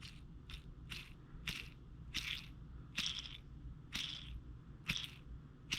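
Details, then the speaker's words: 2012 Camaro SS LS3, about 160k miles, squeal mostly at idle: removed lifter with play in the roller turned by hand gives a dry, scratchy squeak-crunch about once a second; worn roller lifter axle, the source of the noise. "that's without even applying any pressure if i try to apply pressure i can almost replicate that squeaking noise"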